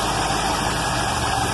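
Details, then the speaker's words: Carbureted car back running after a year, with the starter rebuilt and the carb sorted; while warming it holds a steady idle at a reasonable speed with a smooth low burble and no knocks or misses. Mixture tuning and the choke cam still need attention. "but holy smokes look at this the cars running and idling at just about a reasonable speed"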